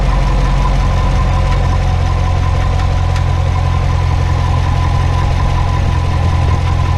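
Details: Corvette at idle: a steady low idle with a loose, irregular tapping on top, roughly three per second, that can also be felt in the car. The dealer blamed the high-pressure fuel pump, which the owner doubts; the cause is unconfirmed.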